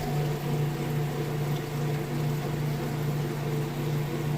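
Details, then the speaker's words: Whirlpool top-load washer moving from wash to rinse cycle: steady low hum with water rushing, no rattle or grinding; drain pump emptying the tub normally and fast. "It's going to kick over and drain that water out. Give just a sec here. You can hear it draining that water. Nice and fast."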